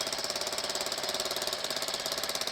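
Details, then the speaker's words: Homebuilt reverse-trike scooter engine, small single-cylinder, idling after muffler welded back on: quick, even crisp pulses about ten a second, no rattle, much quieter; smoke is degreaser burning off; starts good and runs fine. "so key on it starts good still and sounds a whole lot better oh yeah"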